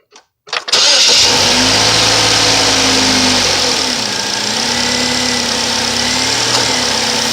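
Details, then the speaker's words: 2008 Saturn Vue after throttle body replacement: engine cranks, catches and settles into a smooth, steady idle; the grinding noise it made at key-off is gone. "no more grinding that's it looks good"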